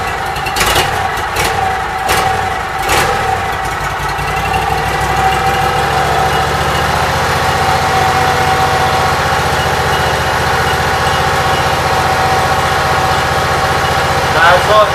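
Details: Briggs & Stratton Vanguard engine after rewiring, ground wire unhooked, on choke: a few cranking bursts, then it catches into a steady, even idle with no knocks or misses; charging voltage rises from 12.53 to about 13.3–14 V.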